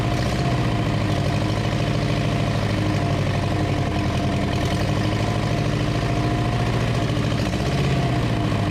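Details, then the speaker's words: 1934 Ford chassis with 1960s Buick Nailhead V8, first run in about 40 years, fuel poured in because the accelerator pump isn't working: deep, steady V8 rumble with even firing pulses, no stumbles or knocks. Normal running. "well she runs you better open some doors though"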